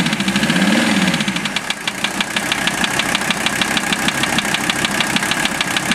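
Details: OM617 diesel swapped into a Toyota, warmed up for 2–3 minutes: sharp, evenly spaced knock, about three per second, that seems to follow rpm and is unchanged by valve adjustment or cracking injectors; owner suspects piston or connecting rod.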